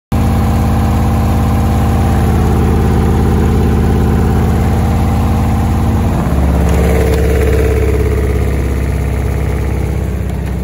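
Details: Beko washing machine banging during spin: deep running hum with a steady thumping, about three or four beats a second, as the drum spins.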